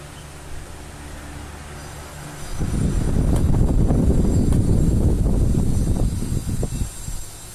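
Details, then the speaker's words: Old Arno fan, about ten years old, that overheated and made noise, reassembled after repair: spins up into a steady airy whoosh through high, medium and low speeds, low previously barely working, no ticking or scraping; healthy. "ó aí pessoal velocidade máxima ó velocidade média e velocidade mínima aí velocidade mínima não estava funcionando praticamente né Aí ó pessoal ficou 100% ventilador filezinho todo"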